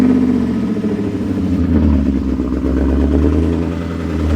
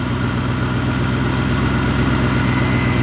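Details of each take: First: BMW E39 540i V8 revving after reinstalling missing EGR/secondary air pipe, broken secondary air hose: clattery, uneven edge over the exhaust note; exhaust leak at the pipe fixed by hammering the pipe in, remaining noise owner attributes to loud heads. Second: BMW E39 540i/6 V8 after refitting the missing EGR/secondary air pipe, idling heard from inside with blower and heat on full: smooth, even low pulse with blower rush; normal idle.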